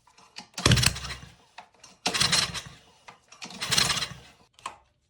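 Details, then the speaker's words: Ryobi pressure washer engine, after fuel turned back on and carb bowl refilled, choke on: three pulls each giving one brief pop and sputter before dying; intermittent firing/backfiring, owner suspects valves or clogged exhaust; weak compression, likely stuck valve. "firing, but it's just kind of backfiring every time I start it. It's like it's firing one time and it's intermittent."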